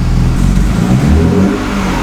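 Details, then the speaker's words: BMW E36 M3 with codes P1188 and P1189: under a light throttle blip the note wavers and sags instead of rising, lumpy exhaust; stumble and bog at light throttle. "so it bogs down when I give it light throttle now listen to the exhaust here now it's kind of lumpy"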